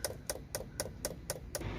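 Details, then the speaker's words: Peugeot Boxer van, replaced fuel additive (Eolys) tank/pump after P1446 additive fault codes: light, crisp, even ticking about four times a second from the pump while priming; normal additive pump priming tick. "I can hear now the pump is priming up I'm not sure if you can hear that little load sort of ticker noise coming from the pump"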